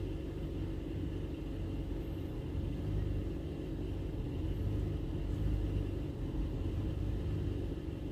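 Low, quiet idle rumble that swells and sags unevenly over a few seconds instead of holding steady; a rough idle, cause not found.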